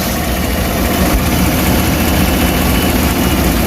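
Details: 2015 Chevrolet Tahoe V8 after replacing the faulty coil on cylinder two, which had misfired with check engine light: smooth steady low idle rumble, no stumbles or skipped beats.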